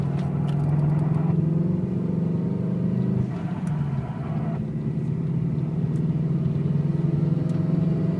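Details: 2003 Subaru WRX, engine below 3000 rpm with clutch fully in: rough, gritty grinding over a deep steady drone; owner asks what causes the noise.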